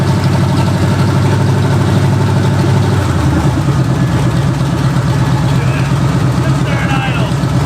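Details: 1968/1969 Pontiac GTO Judge V8 barn find showing 187,000 on the odometer, running with new plugs and wires. Its lumpy idle carries a faint lifter tick on one side that rises with revs. Suspected wiped cam lobe; not confirmed.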